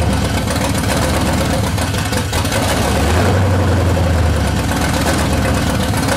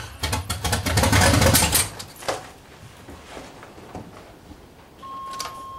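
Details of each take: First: C30 383 stroker V8 after starter replacement with a high-torque racing unit: deep, uneven idle with a loping, irregular beat that never settles; engine still won't idle, rough idle. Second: C30 383 stroker V8 with a new high-torque racing starter replacing the stock one: quick, even cranking chatter about four beats a second for a couple of seconds, then it catches; starter spins strongly, normal cranking.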